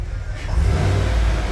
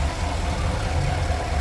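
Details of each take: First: 2015 Cadillac Escalade 6.2L after repair of a misfire (flashing check-engine light, code P0300, newly installed engine) and clearing the code: deep V8 rumble swells as it pulls away, running evenly with no stumble. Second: 2015 Cadillac Escalade 6.2L V8 with a newly installed zero-mile engine, code P0300 and a flashing check engine light: a lumpy idle with an irregular stumble as one cylinder drops out. Misfire traced to cylinder 8.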